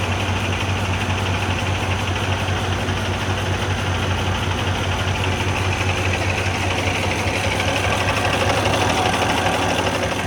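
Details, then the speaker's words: Kenworth W900 diesel after new head and reinstalled injectors, not diagnosed with scanner: low lumpy idle with uneven exhaust beat and dropped pulse, sounds like a leaking valve; misfire, valve problem suspected. "look still miss yeah she's not happy you can hear the exhaust it's like it's got a valve leaking"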